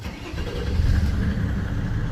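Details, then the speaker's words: 1998 Mercedes W140 S300 Turbodiesel after replacing the starter with a new Bosch unit (previously cranked 5–7 seconds when warm): short crank after glow plug light, fires at once into smooth steady run; prompt healthy start. "Now it's just another story. It's so pleasant to hear it."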